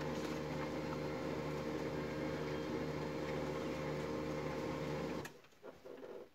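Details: HP LaserJet MFP 3055 printing after repair: steady even mechanical hum with no grinding or clicking, stopping cleanly; earlier gear noise and clicking were fixed by clearing a jammed lower-tray paper pickup and fixing the solenoid, printer now silent.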